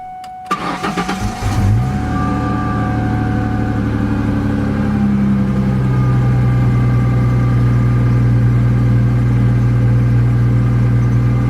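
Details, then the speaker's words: 2004 Ford Mustang V6 3.9L, about 165,000 miles, after repair of a P0303 cylinder 3 misfire caused by a heat-damaged plug wire near the header: cranks, catches quickly, settles into a smooth, even idle; check engine light gone. "finally I reconnect the negative cable and started the car [Applause] service engine light is gone and the engine runs fine"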